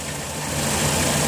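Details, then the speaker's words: 2007 Dodge Grand Caravan wheelchair van, 3.8 V6, 67k miles, heard from underneath: even, smooth low hum with no tapping, squeal or misses; no leaks, smoke or check engine light; healthy idle. "it's got a 3.8 v6 idle smooth it just feels good I don't see any signs of any leaks there no smoke no belt squeaking sounds pretty solid"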